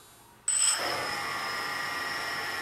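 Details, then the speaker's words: New MN2214 V3.0 Tiger Motors on a DJI Phantom Vision, first power-up after install: quiet hiss, then sudden spool-up into a steady, even high whine with no roughness; responsive, smooth, expected to be fine. "on they seem pretty responsive really smooth sounding if you can hear that in the video yeah think they're going to be fine"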